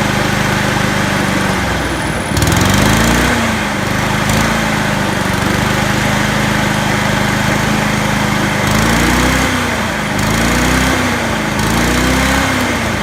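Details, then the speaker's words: Honda HRU216 mower with the throttle at the fast position: a steady drone whose pitch steps up and wavers as the governor lever is moved, showing the engine had been running about 20% below full rpm. The governor was set low. "so you can hear what a massive massive difference that's making moving that Governor on go see its I say it's down twenty percent on its full rpm speed"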